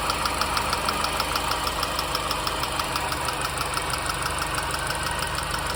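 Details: R53 MINI Cooper engine at smooth idle: crisp, light ticks at roughly three per second, steady, suggesting a top-end tick of unknown cause.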